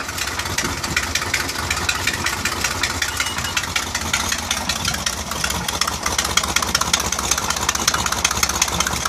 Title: Mercruiser 4.3l Rod knock or bad exhaust gasket